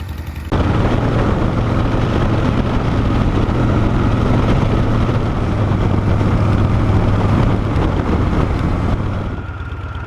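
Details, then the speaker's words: Shovelhead V-twin: stethoscope on each valve finds steady even idle, no ticking; rear-cylinder lifter noise appears only later when riding, lifter setup or adjustment suspected. "i'm going through and i'm listening with a stethoscope and there is no noise on any of the valves they all sound from what i can hear pretty much the same as i expected because i don't hear anything right now"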